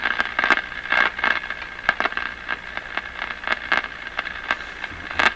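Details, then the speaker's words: Crosley 43FB tube farm radio, first power-up after 50 years, B+ being raised while watching the meter: loud irregular crackling bursts and crashes over hiss, a few every second. The set comes alive but is noisy. "I hear it. By glory gosh, it sounds like a radio. A little much on the crashing."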